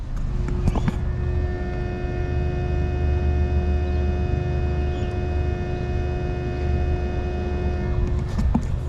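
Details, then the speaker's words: BMW N54 single-turbo car with misfires and BSD fault, engine off during ISTA testing: a click, then the electric water pump hums about seven seconds and stops, randomly turning on by itself; electrical gremlins suspected. "know if you can hear that but the water pump is cranking we've still got the issue with the water pump randomly turning on"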